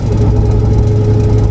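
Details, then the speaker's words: Turbo Lincoln Town Car with 3.55 rear gears, cold freezing morning, driving: steady mid-pitched howl over heavy road and drivetrain rumble, clearly from the rear; rear differential howl, cause unconfirmed, diff cover to be pulled and ring and pinion ordered. "There it is. That's the noise we're trying to figure out. Definitely coming out of the rear though."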